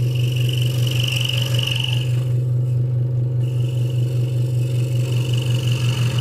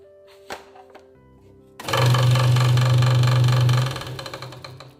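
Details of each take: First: Hegner Multicut 2S scroll saw cutting wood after the blade protector was moved back to stop a rattle: a strong, steady low hum with fast, even blade chatter and no loose rattle; the saw is cutting normally. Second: Hegner Multicut 2S scroll saw at maximum speed: fast even chatter about four beats a second over low hum from a moved blade protector rattling; fix is moving it back down.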